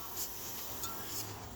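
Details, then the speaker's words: Carrier reefer unit showing alarm I00028: constant sharp hiss of refrigerant escaping where a fallen fan cover assembly bolt rubbed a hole through the evaporator coil pipe; oil found around the leak. "It was rubbing with the evaporator coil, so it rubbed the pipe, so there was leakage. You can also hear the sound. Now there is a leakage sound."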